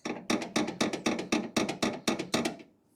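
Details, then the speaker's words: Chevelle upper control arm, ball joint freed from the spindle and arm swung by hand: about ten dry, creaky clunks around four a second; worn upper ball joint, replaced along with control arm bushings. "see it's not supposed to make that noise but she's free from the spindle"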